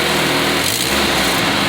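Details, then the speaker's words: Car after exhaust manifold gasket replacement, bolts torqued in a star pattern, engine revved: steady, high buzzy run with only a faint leftover hiss that should disappear once hot; the exhaust leak is mostly sealed. "You still hear it, but the good thing about it, when it gets real hot, you're not going to hear that sound anymore."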